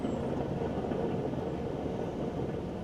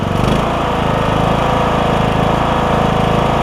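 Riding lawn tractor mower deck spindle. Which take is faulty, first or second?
first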